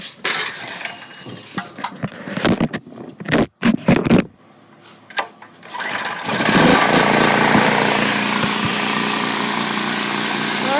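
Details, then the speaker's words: Free Predator 4000-watt generator after finding the fuel switch sticker wrong (sideways is off, up/down is on), choked, later oil changed: after clicks the engine catches and settles to a steady, even drone with no misses; runs great. "this sticker right here is wrong sideways is off and up up and down is on so now this runs great"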